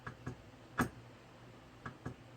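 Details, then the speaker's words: Golden Tee arcade board with mouse-urine damage, booted without its BIOS chip. Faint paired clicks about every second in a quiet room; the board is stuck constantly resetting and never starts. "That's fine, but I can tell we're in a constant state of reset. I don't know if you can hear that."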